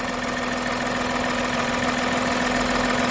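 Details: Steady, even idle with a faint constant hum and no knocks or misses while daily driving; voltmeter reads 13.94 V, alternator charging. Normal idle.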